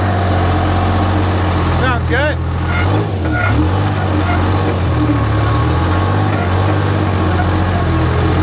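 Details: Rebuilt 3-53 Detroit Diesel three-cylinder two-stroke in a Michigan 55A loader, abandoned 14 years and seized by water in the cylinders, idling with a steady, even low clatter, no knocks or misses; running healthy after resurrection.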